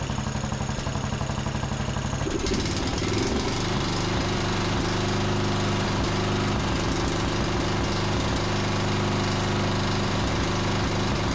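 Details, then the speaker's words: John Deere D110 riding mower single-cylinder engine after regapping the spark plug to 0.030 in, tightening it, and richening the cap-limited carburetor about a quarter turn: it catches after a couple of seconds, then settles into a steady, even mid-pitched run with no misses. "That sounds much better. They have those little safety caps that don't allow you to adjust the carburetor very far, but that probably made another quarter turn to richen the mixture, and that seems to sound a whole lot better than it was."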